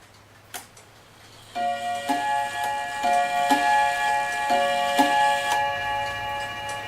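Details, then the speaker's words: Dutch Friesian Tal wall clock after bushing repair and reassembly: clear gong strikes about every half second in reversed order, because the single and double gong rods were mounted in swapped positions. "this double rod here is supposed to be up where the single Rod is and so that's why it sounds like it's ringing backwards"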